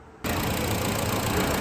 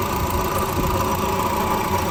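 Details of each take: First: 2013 Honda Civic after water pump replacement for overheating, final check: steady, even idle with smooth low rumble, no knocks, ticks or squeals; no check engine light, no overheating, engine healthy. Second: 2013 Honda Civic at 86,000 km, idling right after start: a constant gritty whirring rush over the engine, like a broken bearing; worn water pump bearing.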